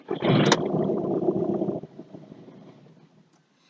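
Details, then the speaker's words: 2009 Volkswagen Jetta TDI, CBEA common-rail diesel, no codes, not an immobilizer issue: engine catches roughly, runs about a second and a half, then dies; fuel pressure follows commanded value and drops as it dies, cause still unknown. "And obviously when the car dies, the pressure drops down."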